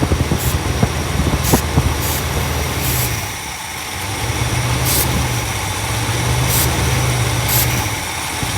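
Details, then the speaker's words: 1964 Imperial Crown V8 idling: uneven idle speed sagging and climbing, surge traced to a vacuum leak at the carburetor base gasket. "so hardware installed it okay so definitely has carburetor base gasket issue"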